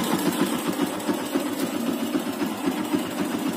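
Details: Yamaha Byson 2012, bought used, smoking white from the exhaust: rapid light ticking about four per second over a busy idle, following engine speed; top-end tick, cause unconfirmed, worn piston rings suspected.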